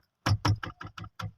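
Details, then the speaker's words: Oshan X7 front left door: seven quick sharp hollow clunks inside the door as it is opened and closed, a loose rattle traced to slack window motor bolts. "कोई चीज़ लूज इस तरह की आवाज़ आ रही है, आप देख सकते हैं।"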